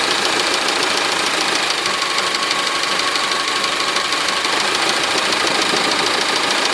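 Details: Honda 4D engine at idle: rapid, loosely regular tapping about three per second throughout; an internal engine knock of unknown origin.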